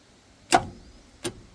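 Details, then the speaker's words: 1958 Chevrolet Biscayne straight-six, parked 40+ years, after freeing attempts with a pry bar on the flywheel and the starter reinstalled: two sharp starter clunks, no cranking. Engine still seized; pistons barely budge. "She's connected that time, but it's just solid still. Yeah, it's solid. You can see the pistons just budge."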